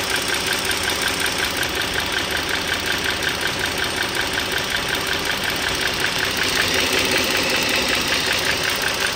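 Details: 2009 Dodge Journey SXT V6 (3.6 L per title, 3.5 L spoken) at smooth idle, recorded up close: fast, steady light ticking, two or three a second. The owner is pretty sure the rocker arm assembly (two rocker arms and shafts) needs replacement.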